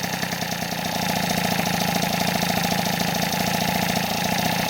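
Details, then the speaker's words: Rebuilt 70cc Transval T3/T5 moped two-stroke engine, first run after repair: fast even putter settling and holding steady without hunting; stable revs mean no air leak, gasket paste sealed the holes. "plus voilà le régime est stable ça c'est cool ça veut dire qu'il y a pas de prise d'air"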